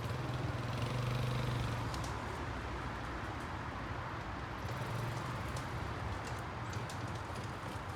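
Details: Barn-find Kawasaki Bayou 220 ATV on test drive after repairs (filthy carburetor cleaned, new battery, oil and air filters, rear right wheel bearing and seal): quiet single-cylinder putter under wind and tyre noise, pulling smoothly, no knocks or clanks; running really good.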